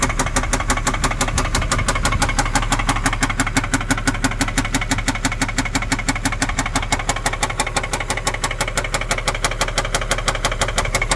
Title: 2010 Infiniti G37 engine knock